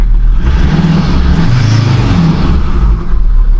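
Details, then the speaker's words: Ford Ranger Wildtrak 3.2 diesel after replacing the failed turbo gasket, heard from inside the cab: revs up and settles with a deep even drone and no turbo whistle, which was heard on revving before the repair. "Much quieter in here. Before you could hear a whistle on the engine when I used to rev it."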